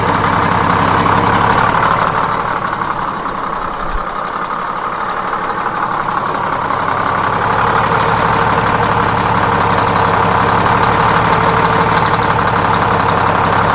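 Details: Freshly inframe-rebuilt Detroit Diesel 6-71N bus engine, with the idle being set at the governor: a loud, even two-stroke idle with a steady rapid beat that holds constant, no knocks or misses. Normal idle.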